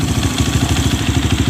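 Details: Honda CRF fuel-injected bike with a complaint that it sputters or dies on low fuel after about 15 min of riding; fuel pressure now rises at key-on and holds around 40. Idle is an even thumping of about ten beats a second with no misses.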